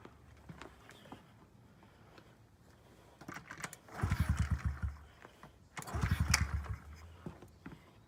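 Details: 2009 Honda CRF50F pit bike, not started in 2 years, kickstarted with choke up: quiet kicking, then two short sputtering bursts that catch briefly and die; hard starting because the choke was left on too long.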